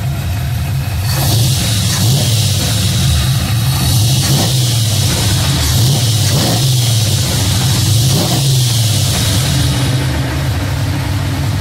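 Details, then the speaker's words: Carbureted high-compression engine after narrowing the spark plug gaps to cure a slight stumble: revs climb and fall cleanly with no hesitation. Throttle response is noticeably better than before. "sounds much better [Music] this throttle response lawn authority seems a lot better then we're gonna go drive it see if we can feel any difference"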